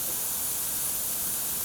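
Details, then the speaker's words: TIG welder shielding gas escaping from a leaking plastic hose, a constant high, airy hiss. The leak was fixed by replacing it with a rubber hose. "because that's pissing out. That'll get expensive real quick."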